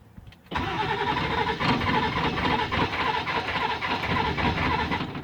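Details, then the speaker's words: 1997 Ford F250 with the 7.3 diesel, fuel filter already changed: cranks with an uneven chug about three to four times a second for five seconds but never catches; crank no start, cause not yet confirmed. "this is what it does when I try to start it glug-glug went off everything else is good"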